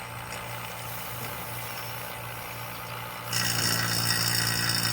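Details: Vacuum pump evacuating an LG linear inverter compressor refrigerator system before R134a charge: steady drone, then a deliberately created air leak makes it abruptly louder and rougher with a hiss; pump labouring with air leak.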